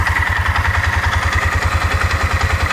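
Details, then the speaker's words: Four-wheeler at idle: steady, even chugging with a faint whine; it is said to idle at 1100 rpm but sounds slower; it shifts fine, and the owner suspects a broken part but is unsure. "sound like it's idling that fast to me but it said they're idling at 1100 rpm sounds like it's slower than that"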